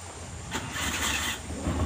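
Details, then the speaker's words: Suzuki Carry 1.0 with uneven, lumpy idle, irregular low thumps and loose rhythm, shaking and using excess fuel; two spark plugs failing, one totally dead, one half dead. "Coba kita hidupkan ya ini koyoke businya yang mati Ada dua ini Lur yang satu mati total yang satu cuman Setengah Mati"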